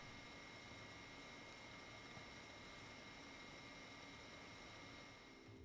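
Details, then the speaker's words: Cooler Master Seidon 120V Ver.2 AIO cooler on a Core i7 5960X at idle, about 25°C, open test bench: fan inaudible, with a noticeable steady high-pitched buzz from the pump. "we put it onto our core i7 5960x plugged it in and gave it a run under idle the temperatures were somewhere around 25° C for all eight cores fan being inaudible and overcome by the pretty noticeable and buzzing sound of the pump as you can hear it"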